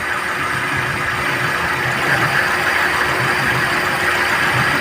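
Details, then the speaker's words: Chevrolet Sail petrol engine, warm, at idle: uneven, stumbling low pulse with visible shaking and a blinking check engine light. Scan shows P0300 random misfire and P0302 cylinder 2 misfire. "P0300 engine misfire का पता चला, battery में short circuit और P0302 cylinder 2 misfire का पता चला, battery में short circuit."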